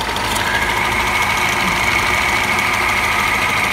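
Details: Tofaş car idling with a steady high whirring squeal while the clutch pedal is held down, from worn pressure plate diaphragm fingers.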